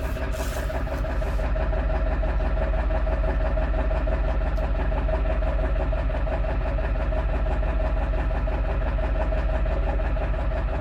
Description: This rough idle just started!